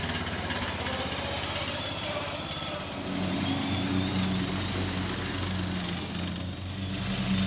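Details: Troy Bilt mower, revived after about five years parked and carburetor cleaning, fresh oil and filter, mowing: steady throaty drone dipping slightly and recovering as blades take grass, firing evenly; normal running under load.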